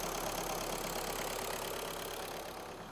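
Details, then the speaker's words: Scrapped VW Golf after repair, idling after the battery booster was disconnected; steady, even idle with a fast smooth pulse and no knocking, much less shaking than before, a little engine movement, seemingly fixed. "but as you can see there a lot less uh shaking now she sounds a lot better lot better so it sounds like that's fixed it just a little bit of movement there for the engine but nothing to worry about"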